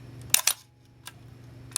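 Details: Minolta SRT 200 35mm film camera body, shutter fired at a slow speed: two crisp mechanical clicks close together, clean and even; normal shutter operation, mechanism in good condition.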